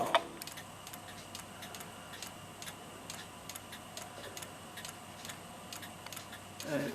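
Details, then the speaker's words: Movement of an 1890 kitchen (gingerbread) clock, cleaned, silver-soldered and oiled, run temporarily on a vise with an amplifier on it. Crisp, evenly spaced ticks, two or three a second; the movement keeps a steady, healthy beat. "Got an amplifier on it so I can hear the beat. And it is definitely going to run."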